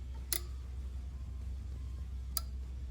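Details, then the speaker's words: LS Gen 3 engine standalone harness rework with 4L60E and stock fuse block, key-on simulated; two crisp relay clicks as the fuel pump primes and then shuts off normally. "And that click was our fuel pump turning off."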